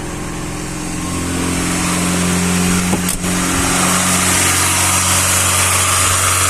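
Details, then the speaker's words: VAZ Classic 1.5 with a rebuilt Solex 21083 carburettor, first start in frost, on full choke in neutral: slightly uneven, hunting idle that stalls; lean mixture, so the mixture is richened before restarting. "трішки додам суміші заглохла бідна суміш зараз забагатимо щоб на підсоціі її не мучити"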